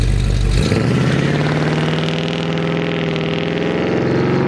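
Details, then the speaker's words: Stock 350 V8 with Vortec heads, LS6 springs, Comp 280 Magnum cam, about 1,200 miles on it, daily-driven Nova: deep lumpy rumble rising smoothly on drive-by, no misses or knocks; runs nearly perfectly. "it doesn't make any weird noises doesn't run funny you know doesn't hesitate or do anything weird now it runs I would say perfectly just about"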